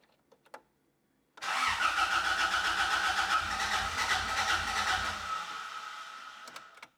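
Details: 1986 Toyota Corolla GTS, first start attempt in months after repairs with eBay parts, in neutral with the fuel pump heard priming: steady starter churn at about four beats a second for four seconds; the engine turns over but never catches.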